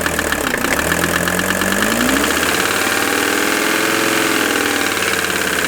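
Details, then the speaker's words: Mercedes 300TD turbo diesel wagon, warmed up, belts wetted with water to quiet belt noise: brought just off idle, a raspy rapid knock taps through the clatter. Owner unsure if injector or internal; finding is a scored piston, diesel purge planned. "you hear that knock right there you know I think it's wise to go ahead and do a diesel Purge on this before we do anything else"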